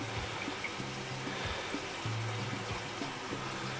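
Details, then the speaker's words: Washing machine after unblocking and cleaning the drain pump impeller, filling with water: steady hiss and trickle into the drum with music over it; normal fill. "qu'arrive la baisse est en train de remplir deux fleuves de lave linge"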